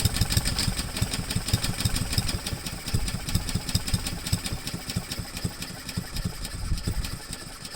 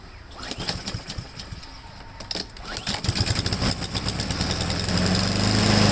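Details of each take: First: Honda-powered Husqvarna mower after cleaning a clogged main jet, fresh gas and Seafoam: uneven, stumbling beat that keeps sagging and won't settle, running rough near stalling; past no-start was a dirty carburetor, cause now unconfirmed. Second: Husqvarna mower, previously hunting and surging, after cleaning a clogged main jet and refilling with fresh gas plus Seafoam: a few pull-start rattles, then it catches and builds to a steady, even run without coughing or surging. Normal running.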